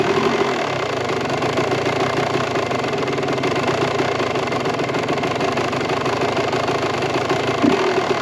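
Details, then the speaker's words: 1998 Kawasaki KX125 two-stroke on smaller jets, carb floats sticking open and leaking from the overflow: uneven buzz with a light metallic ping and rattle when throttle is held; the service manual calls that a lean condition. "So, and it also was running pretty lean. We'd give it hold the gas a little bit and it would go and it would start to like ping and rattle a little bit, which in the owners and service manual it says that that's a little bit of a lean condition."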